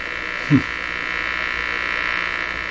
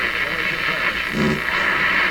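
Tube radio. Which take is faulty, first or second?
first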